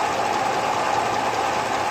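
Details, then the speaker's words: 5.3 L iron-block LS truck engine with a Whipple 2.3 L supercharger and Comp Cams Evolution lifters after 14 hours, fully warm at operating oil temperature. Right bank, underhood noise with exhaust isolated and wheels off: light, even clatter. "that's with a fully warmed up engine it's good and hot the oil is is uh operating temperature and that's what you get on the right hand bank"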